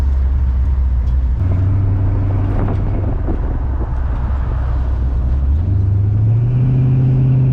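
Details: Oldsmobile TH350 automatic transmission after governor gear replacement and new filter, test drive: steady engine drone steps cleanly through first, second and third, reverse also works, no flaring or slipping; normal shifting restored.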